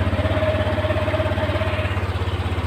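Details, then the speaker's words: Yamaha NMAX 155 V1 ABS scooter after side stand switch repair (engine had been dying while riding): steady even idle with smooth low pulse and faint constant tone above; engine runs cleanly without stumbling. "Okay. Tumaandar siya."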